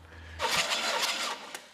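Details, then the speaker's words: 1991 Chevy 454 SS, 7.4L big-block, cranking during a compression test; about one second of quick, even cranking with no knock or scrape, turning over freely; normal cranking. "goodness nothing's flying out when I'm cranking it over but it's me some moisture or something"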